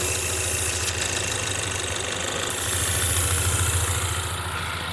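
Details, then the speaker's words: 2016 Ford Mustang 2.3L EcoBoost, replacement engine, 128,572 miles, check engine light flashing: rough, shaking idle with a steady airy hiss from a cracked reused intake pipe between air filter and turbo; intake air leak. "So they reuse the intake and it's broken. The air, so you have the air inlet and then goes through the air filter, and then you have the air outlet which actually goes into the turbo, and that is cracked right behind the"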